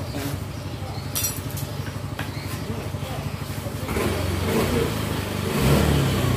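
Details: Yamaha Mio J scooter after fixing lost compression without replacing the piston ring set: steady, even firing at idle building smoothly with throttle blips, no misses or knocks; compression now firm, running healthy.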